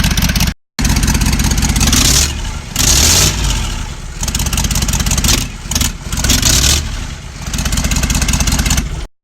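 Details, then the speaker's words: Ford 6.0 Powerstroke diesel with exhaust disconnected (open manifolds, rusted Y-pipe bolts being worked on): very loud, raw crackling bark on start and blips, unmuffled and motorcycle-like. "In case anyone was wondering what an open block Powerstroke sounds like, it sounds like a motorcycle."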